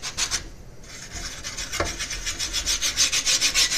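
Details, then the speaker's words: 500mm MGN12H steel linear rail carriage pushed by hand with no load: dry gritty rasping about three times a second as the block sticks and binds on the rail. "you can hear it it's getting stuck big time same with this one stick and big time I'm not putting any weight on it I'm just trying to move it like"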